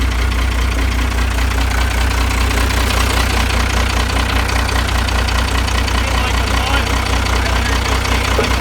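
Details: First-gen Dodge truck just after a new wiring job with fuse panel and relays; loud, steady, even idle with a firm low thump and no misses or surging; normal idle, engine sounds healthy.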